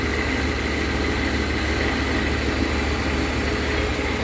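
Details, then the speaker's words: V8 after head gasket replacement, warming up, oil burning off the exhaust manifold: low steady even idle with smooth burble, no ticking or puffing, quieter than before; previous leak was on passenger side; normal idle. "sounds quiet sounds quiet than before make sure it's not leaking"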